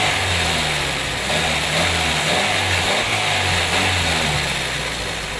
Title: carburator problem..Toyota Corolla..walang idle